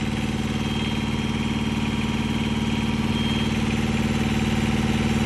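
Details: Truck APU small diesel after oil, fuel and air filter changes and a new fuel pump: steady idle with an even, regular beat and a faint pump hum underneath; runs smooth and healthy.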